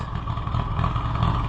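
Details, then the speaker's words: Allis-Chalmers WD tractor (WD45 engine, or the reverse): uneven, lumpy low beat with loose clattering and surging, running so rough it gets shut down; owner wonders if the carburetor float has a hole, suspects fuel delivery problem. "jeez I can't stand to listen to that run like that so I'm going to have to just shut her down"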